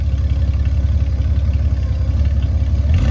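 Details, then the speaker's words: Honda Gold Wing F6B with a Two Brothers exhaust and carbon fiber tips, at a gas stop on a road trip: a deep, uneven burble at idle, then a quick rising rev. A healthy engine with a throaty exhaust. "I want you to listen to the sound of this motorcycle with the Two Brothers exhaust with the carbon fiber tips"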